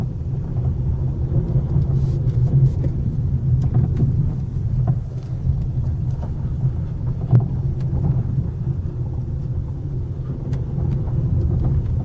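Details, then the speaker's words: Ford Focus 3, 1.6 Powershift automatic 125 hp with hydraulic power steering, 887 km, driven in circles on gravel at 15-20 km/h: dull irregular knocks over road rumble from the steering rack, fainter when turning wheel stationary. "Вот такое неприятное звучание появляется."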